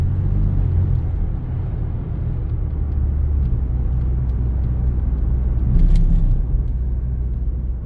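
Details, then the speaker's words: 2015 Lincoln Navigator 3.5L twin-turbo EcoBoost, 6R80 transmission, cruising under light load: deep rumble swelling and fading like rumble strips, driveline shudder vibrating the mirror; transmission shudder suspected, not confirmed. "well like I said it does this weird shutter that feels like you're hitting the it feels like you're hitting the rumble strips on the side of the road"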